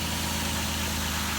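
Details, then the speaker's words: 2008 Ford Escape 3.0 V6 after replacing spark plugs and coils: even steady idle hum, no stumbles or skips, no check engine light or misfire; smooth normal idle. "start it up, nice and smooth. No check engine light, no misfire."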